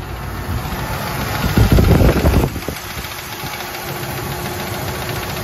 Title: AMC 360 tapping noise. 1984 Jeep Grand Wagoneer